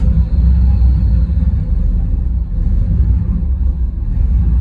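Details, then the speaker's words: Car with an L31 Vortec 350 V8, TPI intake and big-stall converter, at idle. Deep rumble rising and sagging unevenly over a few seconds and never settling; unstable surging idle whose RPM drops fast after throttle, cause not yet diagnosed. "anytime you give it gas and the RPM moves around, especially with it's having such a big stall in it, it drops very fast. Yeah, it does. It's just not happy."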